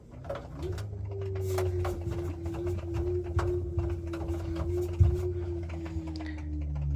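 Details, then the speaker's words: LG washing machine drum turning with a steady mid-pitched hum and irregular light clicks, appearing at a certain drum speed; clicking in the drum, cause not identified. "It kind of makes like little clicky clicky clicky noises in the drum and it also kind of makes this at a certain speed. Yeah. And then you can hear the sound of the clicking clicking when this happens."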